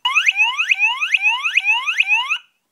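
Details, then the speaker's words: Piezo element driven by an Arduino PWM square wave on pin 5 through a dollar-store autotransformer: loud, shrill chirps sweeping upward about twice a second; buzzer working properly and much louder than without the autotransformer. "It's pretty loud."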